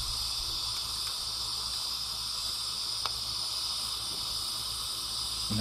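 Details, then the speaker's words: Homeline AC breaker used on DC: steady, unbroken high hiss with faint crackles as DC arcs inside the breaker, which cannot extinguish it; breaker turning white at the bottom, about to blow out. "if you can hear that but you can hear that dc arcing inside that breaker and you can see the breaker starting to turn white down bottom where it's getting ready to blow out through"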